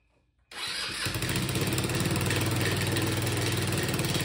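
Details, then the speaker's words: 150cc GY6 Chinese scooter starts and idles with loud rapid puffing chatter from an exhaust leak at the cylinder head, where a wrong cross-threaded bolt held the pipe; something also rattles in the transmission. "you can hear I have a very bad exhaust leak and something is rattling in the transmission"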